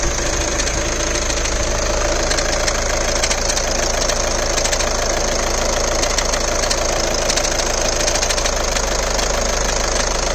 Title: VW GOLF MK7 2010 AUTOMATIC CLICKING NOISE AT COLD START -LOOKING FOR SUGGESTIONS.